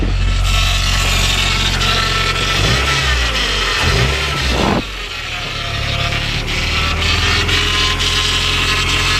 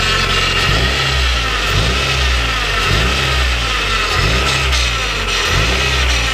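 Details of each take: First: Honda Prelude with freshly rebuilt F20B (86mm bore, K20A Type R pistons), just started on first run: steady high whine over the idle, which is the power steering pump, not the engine; no smoke. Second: Honda Prelude with freshly rebuilt F20B (86mm bore, K20A Type R pistons, stock rods, polished crank) on first run: clean repeated blips rising and falling smoothly, no misses or knocks; engine revs freely, no smoke, healthy.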